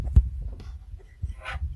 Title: Synology DS115 clicking sound defect Audio boosted